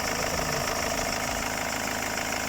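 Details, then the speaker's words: Ford Mondeo 2.0/2.2/2.4 TDCi diesel idling after EGR cleaning and manifold removal, listened to for turbo noise or vacuum and boost leaks: steady even clatter with no hiss or whistle; nothing abnormal heard at idle. "So I mean, I can't hear anything on idle, so that's basically what we're going to do."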